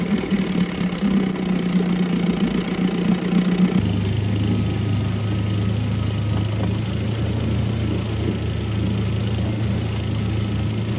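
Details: 1976 Johnson 6 hp outboard bought unseen: busy, slightly uneven beat dropping to a lower steadier note; rough running and smoke with cowl on, later found needle valve broken off, owner suspects exhaust leak; carb rebuild planned.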